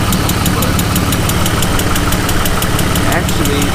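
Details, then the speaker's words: BMW E36 at idle after slave cylinder replacement: quick, even tick keeping pace with the idle, coming from around the manifold side; owner fears lifter tick, suspects loose O2 sensor bolts; cause not confirmed. "That tick didn't go away. I'm really praying and hoping it's not a lifter tick. It's coming from over by the manifold."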